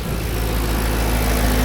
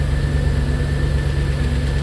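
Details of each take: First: Audi A6 C5 4.2 V8 Quattro after replacing non-return (drain-back) valves and repairing the intake manifold: lifters clattered briefly at startup with no oil in the heads, then a deep, steady idle with no ticking or knocking; sounds healthy. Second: Audi A6 C5 4.2 V8 Quattro first start after replacing non-return (drain-back) valves and repairing intake manifold, heads drained of oil, no fuel in system: catches to a fast idle with light quick top-end ticking; dry hydraulic lifters until oil reaches them, then sounds good.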